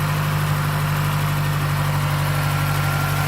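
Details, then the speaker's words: Stock 2009 Mazdaspeed3, parked about two years, after new spark plugs: steady even idle, slightly fast but smooth, firm low drone with no knocking or ticking at idle. "So there's no knocking at idle, just typical idling sound."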